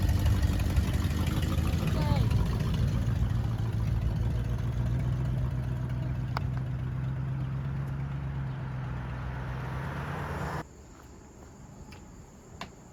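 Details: 1979 Ford F100 V8, sat ten years, idling after cleaned carburetor installed: steady, even low rumble, no misses or knocks, settling before shut-off; normal idle.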